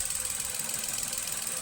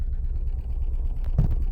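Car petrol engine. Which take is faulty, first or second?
second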